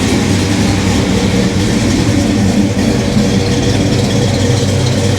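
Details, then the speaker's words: Monte Carlo V8 after retiming to 27 degrees initial, 38 degrees total: deep, steady burble idling about 850 rpm, even firing, no misses, knocks or ticks; normal idle. "So, it's got 38° of timing, idling at like 850 RPM. It's actually mid. Does it sound good?"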